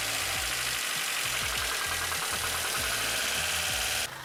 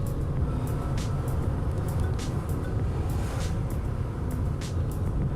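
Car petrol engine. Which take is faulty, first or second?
first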